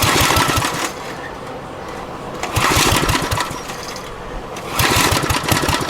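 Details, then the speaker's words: Abandoned Generac generator with kill wires cleared: cranking comes in bursts of quick, uneven chugs that never catch. Fuel turned on but the bad-shape carburetor isn't primed; cranking no-start. "Carburetor's certainly in some shit shape though, but let's try putting a little more fuel through it and see if we can get the fuel system primed at all."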